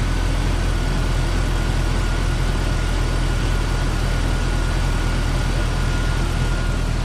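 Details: 1998 Jeep Cherokee XJ, AMC 4.0, after radiator replacement and coolant fill: smooth steady low idle with faint constant accessory whine, no knocks or misfires; normal idle.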